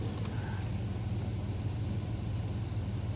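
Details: Chevy S10/GMC Sonoma-type truck after an alternator change, idling as oil pressure and voltage come up: deep, smooth, even rumble with no knocks or squeals; normal healthy idle.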